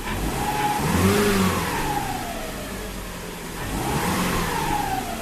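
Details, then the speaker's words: 2005 Subaru Outback XT with swapped-in JDM EJ20X, factory ECU and sensors, warm in neutral: smooth even revs with no rattle; the cold-idle rattle in gear (owner blames bottom cam) goes away once warm with oil pressure. "And then once it warms up and it's up to temperature and it's all got its oil pressure and everything, it goes away."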